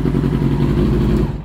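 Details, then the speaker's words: 2000 Yamaha R6 after carburetor cleaning, warming up: the four-cylinder idles low, lumpy and uneven, near stalling, and dies if idle is lowered further. The carbs are unsynchronized; air screws are set at two and a half turns. "miren porque ahí se mantiene bien pero si le bajo un poquito más se apaga entonces están desincronizados"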